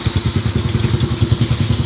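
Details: Motorcycle idling with a fast, uneven clatter and thumping over the low beat after engine work by the owner; some internal knock, cause not pinned down.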